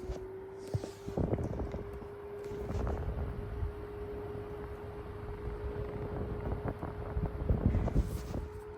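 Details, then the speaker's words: Mistral Gyro Aire / Mighty Mini box fan just serviced and regreased, running on medium: steady even hum at one pitch over soft airy rumble, no rattle or ticking; very quiet, slight louver crunch possible until grease spreads. "You will hear a little bit of the crunchy stuff from the front louver for a little bit because the grease will work its way around to where it wants to be. But overall, pretty quiet, very silent."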